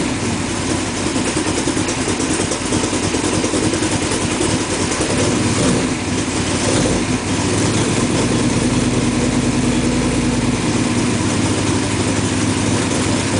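Strong, even idle after start-up with a steady beat and no misfire stumble; the engine is running cleanly.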